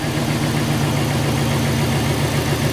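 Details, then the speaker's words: Ford Crown Victoria idling after work: low thump with an uneven, stumbling beat, still misfiring though running slightly better; injectors probably needed. "Nick I don't know it sounds like it actually is running a little better I mean definitely still misfiring but it does sound like it's running a tad bit butter"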